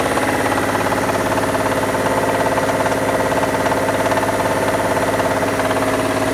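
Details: Mitsubishi Diamante 6G73 GDI V6, warmed up, revved in place: steady rapid tapping about 150 per minute over the engine note; owner asks whether it needs a major overhaul, source unknown.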